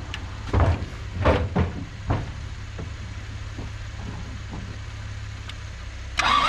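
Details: Isuzu P'up turbo diesel four-cylinder mini truck sitting 28 years, injectors cracked and bled, running on dirty parts-washer fluid: steady starter whir with soft compression pulses and clunks, never catching; cranks but will not start.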